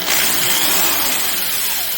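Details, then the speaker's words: Porter-Cable PC70THD 1/2-inch two-speed hammer drill, 840 W, 1100/3100 rpm, little used: harsh buzzy high-pitched motor roar with coarse rattle at full speed; noisy motor blamed on cheap construction. "It just sounds like trash, and it's just, I believe, due to the just simply the way the darn thing is constructed."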